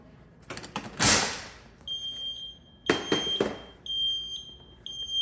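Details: Taylor C723 Crown soft serve machine powered on, left hopper reading false temperature (107°, then 180° vs 75° room): repeated long high-pitched beeps with handling knocks; alarm from a failed hopper thermistor.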